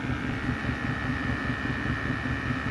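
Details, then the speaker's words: Diesel heater in a truck rig warming up, tested for CO in a garage; steady fan roar with rhythmic pump ticking whose tempo slows as it gets hot and settles to normal operating pace, normal warm-up. "Okay, you hear the tempo, it's starting to drop down. It's getting to what I call normal operating pace. So it's slowing down, and it'll keep a nice even heat."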